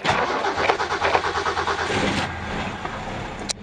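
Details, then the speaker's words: 1965 Mustang coupe, six-cylinder, manual, out of gear, clutch in, cold start. Uneven cranking chuffs catch into a fast-settling run, then a quiet steady idle; alternator light goes off after a few revs. Normal cold start and idle. "so you can see, you can hear it idling. A few revs, alternator light goes off."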